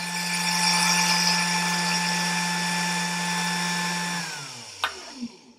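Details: 775 DC brushed motor running unloaded during tachometer RPM test: steady high whine with even hum, no roughness, then smooth wind-down; spinning free and healthy.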